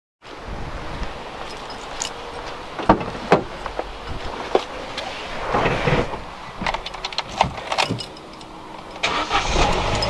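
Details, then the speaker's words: 2010 Vauxhall (Opel) Corsa D petrol after replacing the rusted-through exhaust backbox silencer, its only silencer: engine starts and settles to a soft, even, much quieter exhaust note with no blowing or rasp, only handling clanks; normal idle. "[Applause] that's more like it much quieter you can see it's all held in place nicely"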